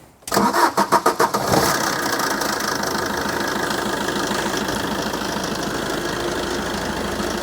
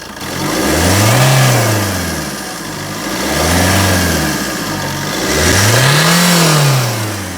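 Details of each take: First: Fiat Doblo Cargo van, old diesel with 140-something thousand miles, started on a cold day before its MOT: a few cranks, then a steady clattery idle with no distinct knock; the owner thinks it sounds worse on the road, and the cause is unconfirmed. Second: Fiat Doblo Cargo diesel van revved during a cold-day pre-MOT check. Owner said it sounds different on the road, but three clean rev blips rise and fall smoothly with no knocks or rattles: normal diesel revving.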